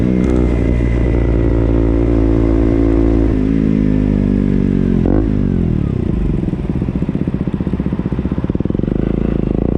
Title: Ktm duke making noise|winchester